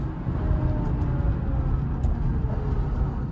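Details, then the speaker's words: Ford Fusion bought at auction, driving right after pickup: a faint steady whine above the road rumble, which the owner says is not the drivetrain; the car was reluctant to move, as if a caliper were stuck. The cause is unconfirmed. "that is not like a drivetrain or anything like that. So I'm not tripping about that."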